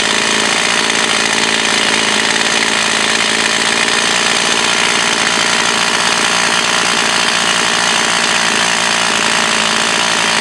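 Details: Echo CS 4500 chainsaw, bought used, possibly stood unused for many years; carb rebuilt, high-speed screw adjusted slightly. High, steady buzz held evenly through the cut without bogging or surging; carburetor now running right.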